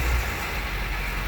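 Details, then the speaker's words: Manual-transmission car just jump-started from a dead battery with a portable booster pack; loud, steady, deep high idle on cold start with no knocks or misses, quieting down normally. "Noisy, isn't it? It will quiet down in a second. There you go. Quieting down."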